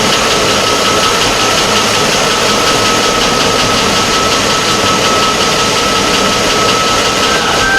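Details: 2004 Chevy Avalanche 5.3 V8, rebuilt engine's first start: steady, even idle with a smooth constant hum and no knocks, ticks or misses; running cleanly.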